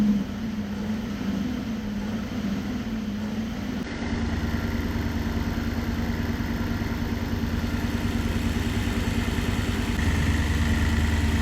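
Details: Supercharged Nissan VK56 V8 in a Nissan Gloria on a Link ECU, after both fuel pumps were switched on: a low, steady burble catches and settles into an even idle with no misses, with fuel pressure at 265 kPa, just under 3 bar.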